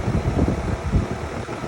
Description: A quick oil of fan shaft bushings and she’s quiet once again.